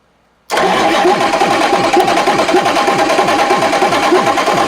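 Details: Big Cam Cummins NTC 365 diesel: quick crank, catches at once, settles into even steady clatter, no stumbling, no smoke; runs good, oiling all cylinders.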